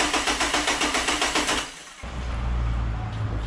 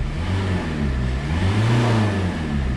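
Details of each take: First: Renault Megane 2 1.5 dCi diesel with power loss and loud noise (turbo suspected, boost hose failed), first start after oil change to fill oil filter, low fuel: starter cranks about four beats a second, then catches and settles into steady run. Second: Renault Megane 2 1.5 dCi diesel with a power loss and a loud unidentified noise, turbo questioned: deep droning roar rising and falling with throttle during a rev; abnormal noise when revving, cause unknown.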